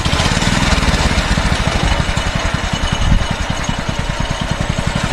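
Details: Mini bike that stalled on throttle, now with the governor spring removed: the small single-cylinder engine fires at a quick, even beat without stumbling or dying; stalling largely fixed, but the carburetor, which gums up the spark plug, needs replacing.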